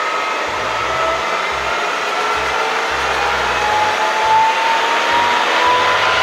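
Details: Bridgeport Series I milling machine after head removal and repair of a spindle that previously lost speed and slowed halfway up; spindle now spins with a smooth, even whir and gentle rising tone, no knocking or rattling; head sounds healthy.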